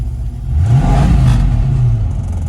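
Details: 1967 Ford Mustang GT350-style replica, 289 V8 with automatic, restored, from Arizona: deep, smooth rumble swells with a quick throttle blip and settles evenly, no knocks or stumbles. Healthy engine, good compression.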